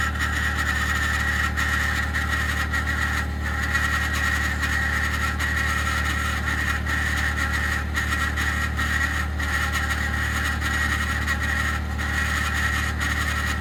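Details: 2021 Ford F150 PowerBoost remote cold start at -16°C: constant harsh whirring grind over steady idle, like a fan blade rubbing its housing; only below about -11°C, quiet after ~10 minutes warm-up; a click precedes it, cause not pinned down.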